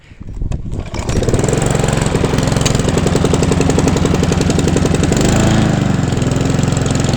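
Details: Hand-push petrol mower converted to self-propelled with the gearbox and drive from a second mower, freshly serviced: catches after a rough start, then settles into steady, even beat without misfire or knocking; normal running.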